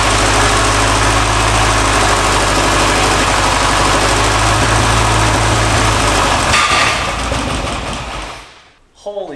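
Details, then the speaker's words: 1951/52 Buick Super abandoned for 40+ years, first start after trans fluid and then oil were put in all cylinders to seal the rings: loud, hard, rough firing about four beats a second with heavy smoke, then the engine dies. "Oil in all the cylinders. Come on, girl. Oh, yeah. That's the most fire we've had."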